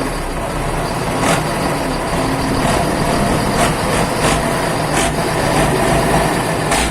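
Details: Isuzu 12PB1 diesel idling after a full overhaul, old burnt oil still burning off, smoke much reduced; steady low rumble with occasional air hiss, even, no knocks or misses, normal running.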